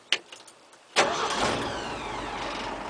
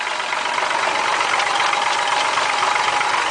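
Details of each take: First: 1967 Ford 300 inline six with 2in exhaust: short crank, catches at once and settles into a steady, even idle with a light valve rattle, which the owner says is harmless; runs smooth. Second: 1967 Ford 300 inline six with 2in exhaust and welded glass packs, idling: steady idle with a light, loosely regular top-end rattle along the valves over the engine hum; owner says it doesn't hurt anything, runs smooth and even.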